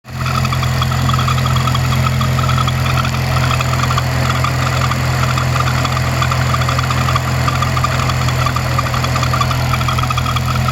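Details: 2007 Honda Civic Si K20 with Kraftwerks supercharger, under 10k miles: steady idle with a faint, irregular squeak over the engine drone, only at idle; squeak seems to disappear when held at 2k rpm.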